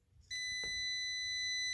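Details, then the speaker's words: Refrigerator not cooling while the compressor runs: a multimeter continuity beep of about 1.5 s across the start relay's start and run pins. The start relay is good, so the fault is in the compressor. "you hear the beep we have a good relay so our problem is in our compressor there"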